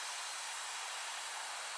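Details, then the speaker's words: 1998 Ford F150 4.6 V8 at the open radiator drain, engine not yet hot: a steady high hiss with no engine rumble as exhaust gas is forced into the coolant through a bad head gasket. "that's exhaust gases coming into the cooling system. It's not hot enough yet."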